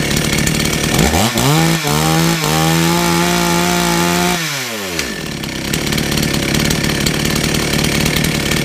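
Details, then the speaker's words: Two-stroke chainsaw that had been sitting unused for some time, started on choke: revs up, holds a steady high note, then winds down; chain now oiling properly, but the chain brake only stops partly, not 100%. Weak chain brake, not audible. "There's a nice oil line just there, which is where the chain is now dispersing oil as it should do. However, the brake is stopping to a degree, but it's still not quite 100%"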